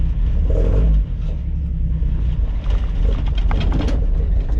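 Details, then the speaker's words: 1965 Mustang with straight-six engine that ran great for a few days before developing a stalling issue as it warms up; an uneven rumble sags and stumbles, then it sputters and dies. Owner suspects weak coil power or a dirty carburetor after winter storage. "what you guys saw there was the thing spottered out and died and then it cranked once and then it acted like the battery was dead"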